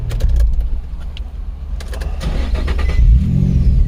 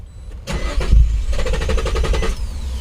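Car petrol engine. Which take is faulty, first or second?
second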